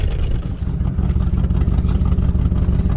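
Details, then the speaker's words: 1966 Lincoln Continental, unregistered for about nine years, carburetor recently worked on, driven on the street: the low rumble carries a rough, puffing chuff that rises with throttle, an exhaust leak on the left side that can also be smelled. "This thing has an exhaust leak. You can definitely hear that. Smell it."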